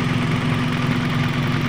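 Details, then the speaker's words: Toyota Vios G, idle-surge fault: at about 95 °C with the radiator fan not yet on, a steady even low idle hum with no knocks, surges or hunting; idle normal. "pada sekarang ini derajatnya di sekitaran 95 derajat 95 derajat untuk bulan temperaturnya RPM normal ya kipas seperti dari belum aktif"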